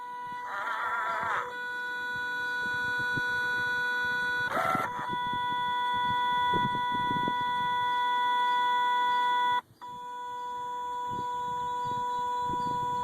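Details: 2005 Kawasaki Brute Force 750 makes a steady high electronic tone with bird-like chirps after the key is shut off, seemingly from the brake actuator/belt area; re-greasing the actuator gears didn't help; owner fears the control actuator.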